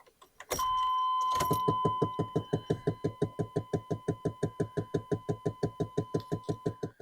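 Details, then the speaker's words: 1994 Chevy K3500 OBS extended-cab dually, 166,000 miles, electronic climate control, AC not working: steady sharp clicking about three per second from under the dash, no engine running, as the failing blend door actuator keeps trying to reset itself. "OBS trucks have a blend door motor that goes bad under here. And when that blend door motor goes bad, it's trying to reset itself. And that's what that noise is."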